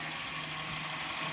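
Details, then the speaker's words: 2008 Kia Spectra after tightening power steering and alternator belt tensioners: quiet, steady idle with soft hiss and no squeal or chirp while turning wheel lock to lock; squeaking belt fixed. "so tightening the power steering and tightening the tensioner on the alternator belt did the trick and now we've got a power steering working again and no more problems"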